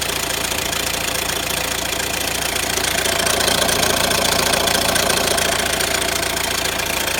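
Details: Renault Grand Scénic 1.6 dCi 130 diesel: steady idle with a fast, even metallic clatter ticking regularly over it; engine rattle, noisy timing chain suspected.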